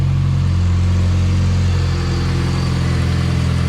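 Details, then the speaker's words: Pontiac Sunfire after a new alternator was fitted: a steady, smooth idle with a constant low hum and no growl from the front; the engine runs healthy. "she's a happy little bird telling you you know nice yeah she's a lot more gooder"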